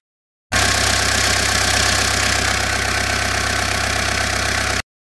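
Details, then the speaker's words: Citroën Berlingo engine idling after pump repair (pump whine gone): loose rapid rattle and belt slap from a seized alternator clutch and worn accessory belt idler pulley, both needing replacement. "natomiast przy okazji wyszło że mamy zatarte sprzęgło alternatora i rolka prowadząca od paska sprzętu też jest do wymiany grzechocze już niesamowicie"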